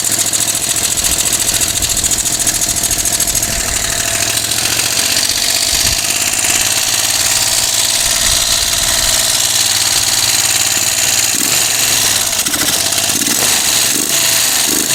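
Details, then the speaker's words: Moto Guzzi engine, not run in over ten years, after new carb parts, restarted cold on choke with no throttle fitted yet: catches and settles into a busy, slightly uneven idle with no knocks; normal cold running. "right so I'll put the chunks on again since the engine's cold and we shall try again"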